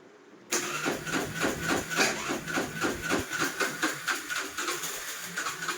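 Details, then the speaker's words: Suzuki Access BS6 scooter after a new battery, cranked with light throttle: rhythmic cranking pulses at about three and a half per second never catch. Hard starting comes from a blocked stepper motor valve; opening the stepper motor to clean it is suggested. "ఏది ఈ complaint ఏంటంటే లోపల stepping motor సంబంధించిన wall black అనేది గుర్తుపెట్టుకోండి. అంటే start చేసే విధానం లోపల లేదు, అంటే ఆ వాల్ బ్లాక్ అవడం వల్ల స్టార్ట్ చేయలేకపోతుంది బండి."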